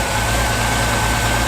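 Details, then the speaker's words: Reliant Scimitar Essex V6 pushrod engine after valve clearance (tappet) adjustment: smooth even idle, steady low hum, no top-end ticking; purrs, tappet rattle gone. "It purrs now. That's insane! There's no tappet noise at all."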